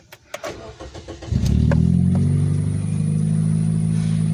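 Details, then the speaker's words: 2005 Scion xB, 1NZ-FE 1.5-liter four-cylinder, 4-speed automatic, broken exhaust pipe, check engine light: cranks, catches, then lumpy uneven idle with loose exhaust note; runs badly, misfire. "however it does have a problem a big problem it runs like crap"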